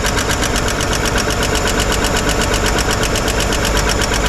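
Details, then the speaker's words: 1955 Chevrolet 210 four-door revived after sitting many years, valve cover off while running: fast even ticking over the idle from the rear hydraulic lifter, last one still not getting oil up top. "yeah this back one's a little little noisy is getting oil up top now except for that very last one"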